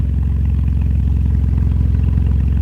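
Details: BMW E85 Z4 at its first start after installing a new Delphi fuel pump, checked for fuel leaks: deep, steady idle rumble with an even beat, no misses, knocks or whine; running normally with no leaks seen.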